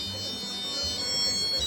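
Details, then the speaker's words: Home flour mill (gharghanti): a high electronic tune of held notes over a low motor hum, the signal that the grinding cycle is finished. "सिद्धूने असा आवाज येतो दळण झालं"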